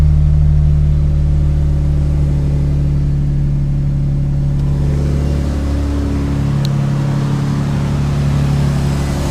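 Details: Subaru SVX flat-six, first start after replacing the front knock sensor and all the 23-year-old vacuum lines and painting the intake manifold; steady, even low hum with no knocks or stumbles. Normal idle.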